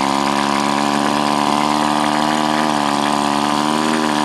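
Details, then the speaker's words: Powerwise ink pump air motor being rebuilt with kit, running on air pressure with six housing screws only snugged: steady, even humming whir, turning freely but soft until screws are tightened for better compression. Low compression from loose housing screws. "should notice as it gets tighter you get better compression from the sound of the motor you can hear it"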